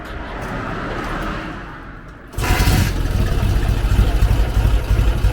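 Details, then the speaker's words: K-750 motorcycle after mufflers removed, welded and spray-painted to quiet them; catches and settles into a deep, loud, lumpy exhaust beat about three pulses a second, even idle; quieter than before but owner still finds it loudish. "Так, в принципі, глушителі зняв, кое-як з балончика покрасив, поварив, в принципі, стало тихіше. Але все одно мені щось воно громковато наче."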